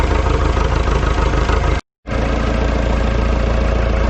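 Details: Ford 2701E 240 cu in 4-cylinder diesel on grapple log loader, running after 15 years sitting and bleeding fuel air: deep steady chug at idle, even beats without misses or knock after brief dropout; normal idle.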